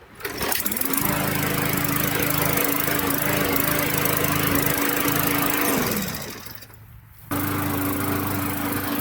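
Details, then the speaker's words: Push mower after replacing the faulty ignition coil to cure no spark and no start: small single-cylinder engine catches and runs at steady even speed with a faint dip and recovery, running well. "after that you just put your cover back on and you've got a good running mower again"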